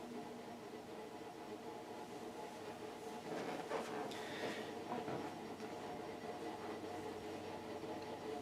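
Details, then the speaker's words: Fasco World's Fair 52-inch polished brass ceiling fan, new-old-stock motor, on the Vari-Low setting near top speed: steady hum with a rough rumble about four times a second like a chugging train, slight wobble; stiff, noisy motor bearings. "the sound of the bearings on this one almost sounds like a train chugging along the tracks"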